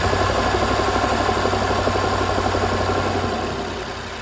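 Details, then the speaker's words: BMW N63 V8 idling with a regular stumble about four times a second that eases as the engine dies down. Cylinder 3 has good spark; cylinder 4 by the firewall has no spark and misfires. A bad DME, with coolant in it, was replaced. "so cylinder three we are getting good uh good spark on cylinder three the bad cylinder that's giving us problems is four which is over here by the firewall"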